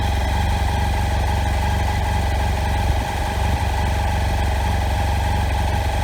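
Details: BMW F800 GS motorcycle idling unevenly and lumpy with dull irregular stumbles, knocking and dropouts in the beat. Misfire from old, worn standard spark plugs, fixed by fitting NGK Iridium plugs, after which it ran smoothly with more power.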